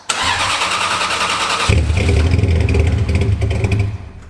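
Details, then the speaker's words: Ferrari 360 first start after resetting ECU learned parameters by cutting the battery: cranks, catches, flares, then rough wandering idle expected while the ECU recalibrates over a 5-minute idle. "It will probably idle terribly for a while, but then it will start to do its recalibration stuff and things should improve."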